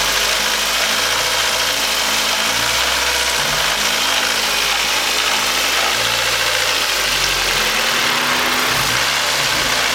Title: weird noise/knocking/grinding